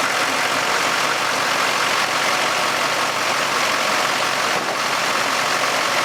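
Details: 2004 GMC Sierra 2500 6.6L LLY Duramax test start after alternator replacement: steady, even diesel clatter with no stumble or surges; idling normally.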